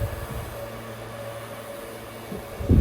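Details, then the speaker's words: Dell PowerEdge R720 machine-learning server (NVIDIA P100 and P40 build) booting, phone right up against the noisiest part at the back: loud steady fan roar with even low hum, no rattle; normal boot fan noise. "the main part of the noise is coming from there just can hear it now it's uh just booting the fan noise"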